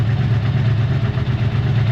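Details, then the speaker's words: 1984 Honda V65 Magna VF1100C, fuel pump working, starts first turn: deep, lumpy, uneven idle that wavers; earlier lost power on a ride; owner suspects it runs on only one or two cylinders, not confirmed. "uh the pump is working and the bike started on the first turn but it just doesn't sound [Applause] right"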